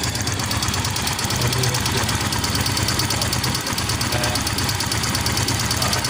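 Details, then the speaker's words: Yamaha Mio M3 scooter engine running with a light, quick ticking. The source is unknown and could be the cylinder head valvetrain, cam chain or piston. "Nah untuk masalah suara seperti ini kita tidak tahu suaranya berasal dari mana entah itu dari bagian perangkat yang berada di head entah itu dari rantai keteng ataupun dari piston"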